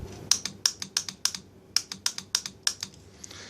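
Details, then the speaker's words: Mercedes M104 throttle actuator clutch coil bench-tested on 9 V power supply: crisp paired clicks about three a second as coil is powered and released; normal clutch coil engagement. "so you hear the clicking we're going to get back to this in closer detail"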